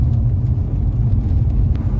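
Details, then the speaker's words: 2014 Renault Duster on a test drive after front suspension replacement and alignment: only a steady low road rumble, with the metallic clunk over bad roads now gone; front suspension quiet. "गाड़ी आगे से तो काफी smoothly चल रही है तो कोई नॉइस नहीं ए रहा है"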